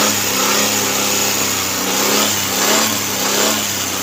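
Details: Suzuki Cultus carbureted petrol engine with misfire and stalling after 10–15 minutes warm, after fitting a new CDI and a Japanese ignition coil: a steady, even idle with a bright, smooth hum and no stumbles, normal idle with no misfire.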